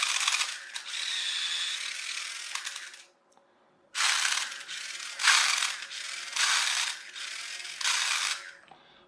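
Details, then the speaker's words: Chicco Jimmy Thunder toy RC car hobby-grade conversion, gearbox held together with wheels fitted: buzzy ratcheting bursts under load as the protective slip clutch slips too easily; owner suspects melted blue plastic reduced its tension. "that stops the gears breaking but it's actually no good to us because it's slipping"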